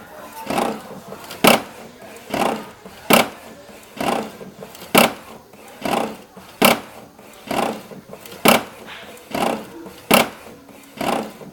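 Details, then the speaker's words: HP OfficeJet 7612 printer making a strange mechanical noise only when printing A3 sheets: sharp rasping bursts about every second as the head passes, though print output is normal; source not identified. "Bom pessoal, ela imprimiu aqui a folha 3 E tá com essa zoada, esse barulho que eu não sei dizer o que é."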